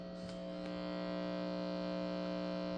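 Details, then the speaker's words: Heathkit HW101 ham radio with its power supply: steady low electrical hum with evenly stacked buzzy tones; owner unsure whether the hum comes from the power supply or the radio. "I don't know if the hum is on my power supply or if it's actually in the radio. But anyway, I mean, you don't really hear it unless the volume is turned down."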